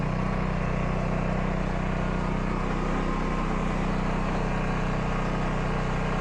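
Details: Portable generator small engine after carburetor cleaning: steady even hum with no surging or hunting; running smoothly and settled.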